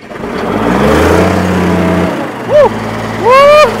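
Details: Old Case diesel tractor (title says 1896) cranks after the injection pump power is checked and a starting aid is sprayed in, catching into a steady low diesel idle with a couple of bright squeaky sweeps over it; starts fine, then seen leaking.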